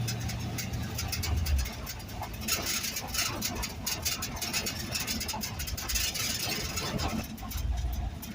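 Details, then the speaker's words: LS-swapped 1948 Ford F1 rat rod driving on gravel, recorded in cab before sound deadener and carpet: gritty road roar, ticking rattles over low engine drone; uninsulated cab noise, not a dragging muffler. "It sounds like the muffler's dragging on the gravel. It's not. Audio sucks. But yeah, so it's loud, creaky, squeaky, whatever."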